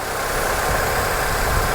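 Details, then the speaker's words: GM Ecotec small four-cylinder in a Copart salvage car with minor front bumper damage, idling: a steady, even hum under loud hiss with no knocks or misses. It runs like a champ and needs no fix. "running like a champ robbing like a champ so this is one you don't even have to fix"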